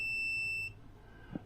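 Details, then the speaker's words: 1976 BMW 2002 restoration (automatic transmission): bridging the two neutral safety switch wires gives one sharp high-pitched beep under a second, then quiet; the switch works only sporadically and should beep in park/neutral. "and it's got the safety switch for the neutral, and that works sporadically. So these two wires here, if they join together, you hear the beep."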